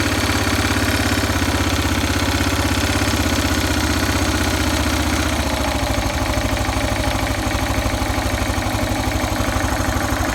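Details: Yamaha XT 600 (43F) cold idle: lumpy uneven single-cylinder beat with busy mechanical rattle on top; abnormal engine noise, cause unclear.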